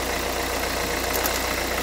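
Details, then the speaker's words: 2011 Renault Kangoo 1.5 dCi 86 hp, under 100,000 km, warm: steady idle with a fast, even clatter, rougher than normal, apparently from the Delphi injection pump. Air and foam are in the fuel line. Owner suspects metal filings in the pump; glow plugs are new and the preheat timer was checked. "Il y a un bruit pas trop suffisant, pas trop rassurant, pardon, je veux dire."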